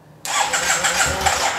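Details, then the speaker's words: 2009 Yamaha TMAX: it cranks, catches and runs a rough, uneven idle for a few seconds, then dies, and also dies on heavy throttle. It runs hot with exhaust smoke. Owner suspects the fuel pump, plus possibly clogged injectors, before fitting a new pump. "so let me just show you what happens with the bike it cranks a little bit sometimes it idles but it dies quickly"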